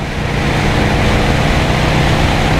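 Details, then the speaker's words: 1984 Harley-Davidson FLT Tour Glide, 2-into-1 SuperTrap exhaust, revived after sitting 20 years, cruising on the highway at about 4,000 rpm: deep, even exhaust drone over the wind with no knocks, misses or rattles; runs healthy. "she sounds good. She definitely sounds good."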